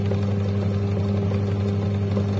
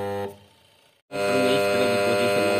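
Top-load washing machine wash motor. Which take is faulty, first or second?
second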